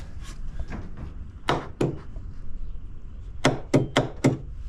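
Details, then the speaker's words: 1988 WetJet 432 two-cylinder carbureted jet boat with a new battery: four sharp single clicks in about a second and no cranking. The solenoid is working and power reaches it, but the starter does not turn. "I put a new battery in here and it clicks but the starter doesn't work so let's try this"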